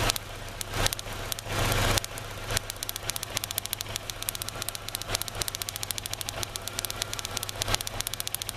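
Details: 2003 Kia Rio, crank-no-start with light backfires, started after prolonged cranking, cold engine: sharp, irregular snapping ticks over a rough, stumbling idle; coil pack arcing between towers for cylinders 2, 3 and ground causing misfire, arcing decreased as engine warmed.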